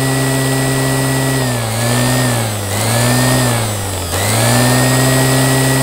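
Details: Qualcast electric motor after rebuild holding a steady, clean hum; speed sags briefly twice and recovers smoothly, no grinding or rattle; normal running.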